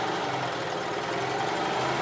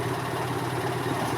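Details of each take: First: 2002 EZGO TXT gas golf cart idling during a charging-system check, battery good at 12.4 V: small petrol engine at a steady, even idle with no knocks or misses, charging over 14 V but under 16 V, which is normal. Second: 2002 EZGO TXT gas golf cart on a GPS speed test: the engine holds a steady fast drone with no throttle input and won't drop back; the governor cable running from the rear governor to the carburetor throttle is stuck.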